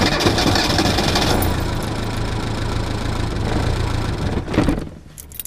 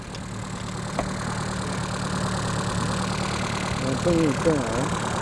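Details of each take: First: Reliant Robin in cold weather with an alternator not charging properly and a low battery: the engine cranks loudly for about four seconds, then sputters unevenly, as the low current starves the ignition; the alternator is due for replacement. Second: Reliant Robin idling after fitting a more powerful replacement alternator, now charging at 14 to 14.8 V. A steady low drone with an even beat and no knocks or misses; a smooth, healthy idle.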